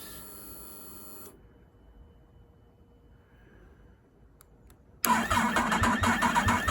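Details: Yamaha MT-10 stone-cold start after three weeks stationary on a trickle charger, downpipe cold: quiet pause, starter catches quickly, steady even idle; normal cold start.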